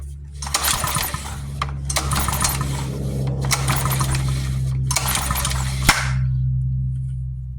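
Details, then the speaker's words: Yard-sale pressure washer, carburetor reassembled: four rasping recoil pulls, engine turns over but never fires; no spark, owner suspects a moved wire messed up the kill switch, grounded through its screws. "We're not getting a spark. I think what it is might be that I've moved this wire and messed up the switch, and it's grounded with these screws."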